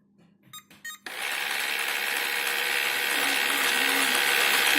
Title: Ilife v7s pro-screeching sound from main brush motor